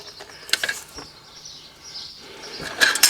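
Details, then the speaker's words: 2008 Ford Focus 1.8 TDCi, belt shredding its edge: hand-spun top idler pulley gives a dry, gritty ratcheting rasp as it turns and coasts down; rough idler pulley bearing, likely cause of premature serpentine belt wear. "So yeah, that top idler. That's probably what's causing our belt to shred the edge."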